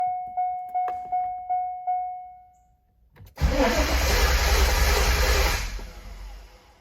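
A few chimes, then the starter cranks steadily for about two seconds and winds down without the engine ever catching or firing. Cause suspected, not confirmed.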